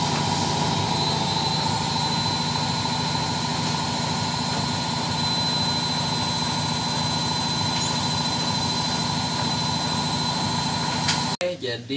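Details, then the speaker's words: Side-door (front-load) washing machine at maximum spin with a load after repair, now quiet with a steady even whir and no banging; earlier heavy vibration was caused by a loose top counterweight over the motor that had slid backward, re-secured. "ini kecepatan maksimal Alhamdulillah sudah sudah tidak Berisik lagi ya tidak mengganggu tetangga lagi hehehe"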